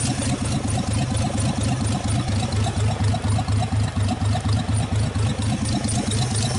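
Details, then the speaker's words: 1948 Nash engine after first start, carburetor rebuilt, no exhaust fitted, water hose flushing cooling system, warming up; steady low thumping about two beats per second with a loose rattle, running smoothly. "okay we got her running good and all that but and I'm trying to get her heated up"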